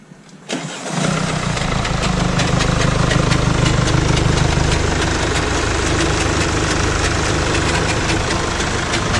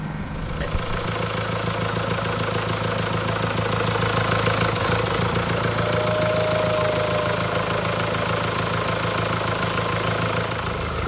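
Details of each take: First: 2016 Mercedes E220d W213, OM654 diesel, 170,000 miles: catches after a short crank and idles with a steady clatter of light metallic ticks; diagnosed timing chain on its way out, likely stretched with broken guides. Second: 2016 Mercedes E220d W213 OM654 diesel, first run after timing chain, oil pump chain and water pump replacement with the engine refitted: a steady, even idle clatter with a smooth hum. No leaks, no unusual noises, a healthy engine.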